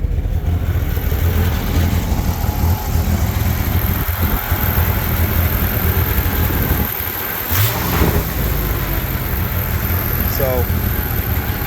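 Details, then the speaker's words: 1971 Jeep CJ6 ex-fire-department, under 6,000 original miles, started and given gas to hold idle: low, uneven, lumpy idle with stumbling dips and visible shake; owner says it's missing on at least one cylinder, cause not confirmed. "don't know if you can visibly see the shake or not. I would say for sure missing on one cylinder at least,"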